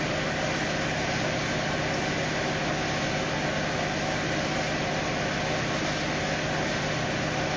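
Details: 2018 Fiat Uno Fire Evo petrol engine being worked on for a strange noise: an even, steady idle with a constant hiss and no knocks, ticks or rattles. Normal idle.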